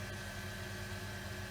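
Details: Workshop rainwater recycling pump, checked an evening later after repair: quiet, even motor hum with steady high whine, no rattles or surging; runs normally and switches itself off.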